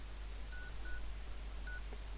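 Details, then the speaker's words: PC power supply with PFC on a PSU tester, bulb limiter switched out: three sharp high beeps, two close then one after a pause, flagging the 12 V rail missing because the four-pin connector isn't plugged in. "well saying the 12 volt that's because i haven't got the the four-way pulled in"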